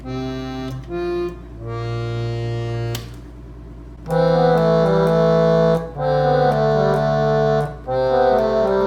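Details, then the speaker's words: Silvertone 4721 air-powered chord organ, rescued from the trash and repaired, all keys working, fan warmed up, pedal pressed to send sound through the side speaker: clear, sustained chord tones at steady volume, no sticking or droning notes; normal operation. "when you press the pedal down here you will get sound out of the speaker on the side you do want to wait for it to warm up for a second"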